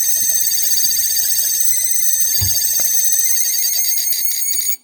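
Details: LG ThinQ refrigerator, manufactured 01/2022, about two years old: constant shrill whine at steady pitch that stops abruptly when the fridge is unplugged; owner blames the fan motor held by four screws.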